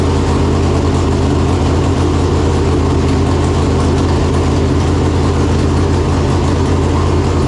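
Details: Freshly installed 568 cubic-inch big-block Chevrolet in a Chevelle with Jerico 4-speed manual, first start after install; came up to temperature well. Deep, loping, even idle with steady rumble, no ticks or knocks; normal idle.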